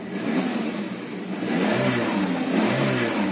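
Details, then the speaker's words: Peugeot 206 1.1 petrol, 500,000 km, with rough idle, cold stalling and power loss; after new ignition coil, then new MAP (intake pressure) sensor fitted without battery reset: engine revs up, holds a fairly even note, no stumbling; clear improvement. Normal running. "il ya une différence qui est ah oui une différence clairement une différence"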